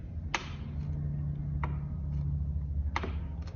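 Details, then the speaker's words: Mountain bike Fox rear shock with roller eyelet bearing kit, front shock mount undone and shock pulled laterally: sharp creaking clicks about every 1.3 seconds as the bearing cups shift in the shock eyelet. "just some lateral Force like that it's causing those cups to actually shift in the shock eyelid"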